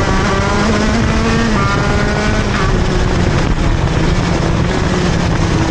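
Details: TM Racing KZ-R1 two-stroke go-kart engine on track; loud wail sags and stumbles pulling out of the corner instead of climbing cleanly: engine bogs on acceleration out of corners.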